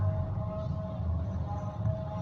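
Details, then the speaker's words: Pedestal fan after repair: worn bearing seat was welded, filed down and the bearing refitted (previously ran slow with a humming/droning noise); now a low, steady hum with a faint even tone, no rattle or scraping, running smooth and quiet. "अब बैरिंग बिल्कुल फिट हो गया है। अब चला के देख लें आप, यह बिल्कुल बेआवाज़ है।"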